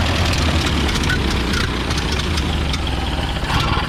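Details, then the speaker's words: 1930 Ford Model A pickup, gasoline four-cylinder, just after slow-cranking start, choke likely needed: low soft steady even chug, no knocks; healthy normal idle, tune-up planned. "I'll just show it idling yeah we'll probably have to give us a choke"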